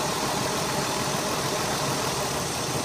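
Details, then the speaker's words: 2002 Ford Escape 3.0 V6 Duratec running rough: uneven loping idle stumble; unplugging coils one at a time and swapping showed no change on one cylinder, a bad coil-on-plug coil pack causing misfire. "change no change so I know that this is a bad coil pad"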